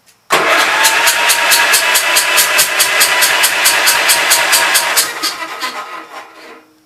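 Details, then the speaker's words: Gravely Pro 12 tractor, remote air cleaner left open (owner suspects water got in): fast even cranking, no slowing on compression, no catch, firing back out the intake; stuck intake valve, no compression. "Now she ain't got no compression. It's having to spin it over a little faster. THAT'S WHAT IT IS. THE VALVE STICKING."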